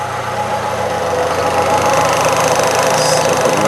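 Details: 1998 Fiat Cinquecento after new radiator, temperature gauge rising, warming up, checking coolant and leaks: smooth, even idle with steady low hum, no knocks or hiss; healthy engine.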